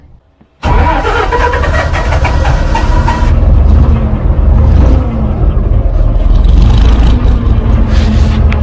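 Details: 12-ton six-wheel diesel grader after a new drive chain, repairs and hydraulic oil brought to the right level: the diesel catches quickly and settles into a steady, deep chug with no stumbling or knocking. Normal start and idle; it runs pretty sweet now.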